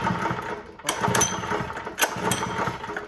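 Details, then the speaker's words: Honda GX120 with the kill switch wire reconnected: two recoil pulls whir and rattle without the engine catching. No start caused by a faulty low-oil sensor. "Alright, so what I found out is I didn't have to unplug that wire. I had a faulty low oil sensor."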